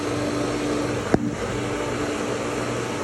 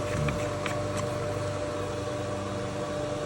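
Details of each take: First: Pool pump and filter switched from skimmer to vacuum hose, air bled out: steady even motor hum with one brief click, no surging or gurgling, water running through pipes; normal running. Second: Motel pool pump/filter system switched to the vacuum hose line for vacuuming: steady motor hum with hollow churning rush and no solid water load; pump has lost prime and runs air-bound, air to be let out at the fill area.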